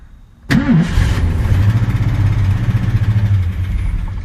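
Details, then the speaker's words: 1972 Mustang, 351C 2V with FMX transmission, starts after short crank and settles to rough idle with light ticking underneath; owner suspects power steering pump, belt also very loose, cause unconfirmed. "you hear that ticking sound that's the power steering pump but I can't figure out what's wrong with it"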